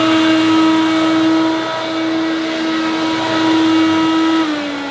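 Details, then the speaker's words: Hoover U2784 Turbopower Boost upright vacuum on maximum setting, before motor replacement: harsh steady high whine with rough uneven hum underneath, sagging near the end; worn, rough-sounding original motor. "so this turbo power boost doesn't sound too bad on its low setting but when you click to maximum it's pretty horrendous not as bad as I remembered but still"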